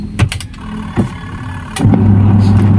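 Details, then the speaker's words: Midea washer-dryer, wash side tested: a few clicks, then a steady, healthy low motor hum as the wash drum turns normally; the dryer side is the faulty part, only humming without spinning, with the motor or capacitor suspected. "Oke, bagian washer dia mau berputar, Kawan-kawan."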